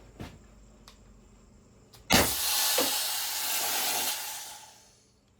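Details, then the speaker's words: Byrna launcher using Byrna CO2, shortly after a spring retainer repair: a sharp first shot followed by a long steady hiss fading over three seconds. CO2 escapes after firing, a new fault; the owner plans to contact Byrna. "With all the air escaping right out of it, first shot, that's not good."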